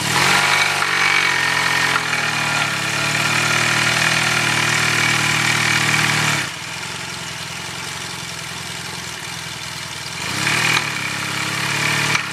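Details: Yamaha T-Max scooter idling: a steady metallic knock, about four a second, sharpening on the blips; worn crankshaft bearing shells.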